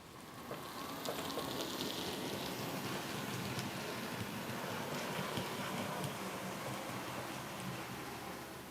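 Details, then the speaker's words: Bachmann class 47 model locomotive, which grinds in the other direction even after full run-in: in this direction even, silky smooth running with soft hiss, no grinding; smooth running. "it's weird in One Direction perfectly silky smooth have a listen"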